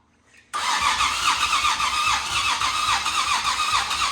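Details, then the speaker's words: Nissan VQ37VHR just fitted with a Soho Motorsports top-mount single turbo kit, repeat start attempt untuned, cold at 29 degrees: steady starter whirr, about three or four pulses per second, never catches; owner suspects it needs the tune. "Huh. Again. I think we need that tune maybe."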